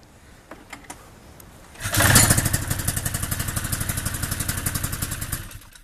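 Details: Powder Special 700 cranks at about four even strokes a second for four seconds but never fires; different carburetors tried, steering safety switch removed, starting-fluid leak test done, still no start.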